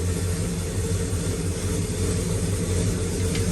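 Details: Circa-1970 Pontiac GTO V8 with new 2.5-inch aluminized exhaust after replacing the pushrods, cold and not yet warmed up: deep, even idle rumble with no ticking or clatter; the valvetrain is quiet.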